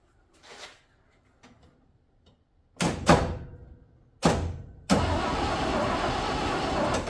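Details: 1968 International 1200 pickup parked over 15 years: a few short starter bursts, then a longer steady crank, but it never catches; spark confirmed at the points, heavy oil on the air filter, plugs suspected next; cause unconfirmed.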